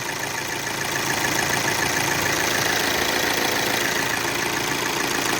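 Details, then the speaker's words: VW Amarok turbo diesel, automatic, after correcting camshaft and high-pressure pump timing and replacing the timing belt: even, steady diesel clatter at idle with no knocks, squeals or misses; no more leak. "ó galera tamaral aqui funcionando ó de boa não vazou mais"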